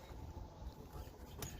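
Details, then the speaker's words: Mercedes C63 jacked up with front wheels loaded, short creaky squeaks over a low rumble when steered left and right; ball joint or control arm bushings suspected, sprayed with PB Blaster, cause unconfirmed. "maybe that noise that squeaking noise is the early onset of the bull joint going out it could actually be that but squeak went away let's see here completely under the load you should hear it when you turn left and right"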